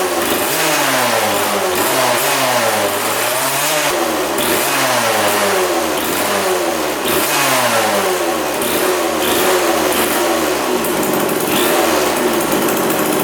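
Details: 1999 Suzuki RM80 two-stroke dirt bike that wouldn't restart: ragged rev bursts, sagging and stumbling between blips, then dying; misfire possibly from a faulty spark plug, and replacing it made it run much better.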